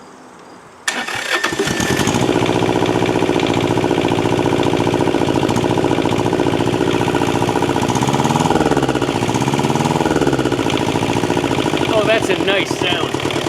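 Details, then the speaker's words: Thermo King TriPac APU, Yanmar 570cc liquid-cooled inline-two diesel, long unused, electric lift pump fitted, exhaust broken at muffler, governor backed out: cranks briefly, catches to an even steady chug rising smoothly when revved; healthy. "overall I'd have to say this engine is in pretty good health"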